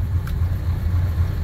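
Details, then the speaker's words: 1964 Plymouth Fury with Magnum roller-cam 360 swap and new Borgeson steering box; smooth steady low idle with no whine or groan, no noise at all from the power steering pump. "No noise at all from the pump."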